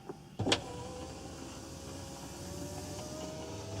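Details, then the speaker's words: GM car with U1170 loss of serial data from driver door switch, driver window commanded up via scan tool bi-directional test: click, smooth steady motor whine about three seconds, soft stop thud; window motor works normally. "that looks good"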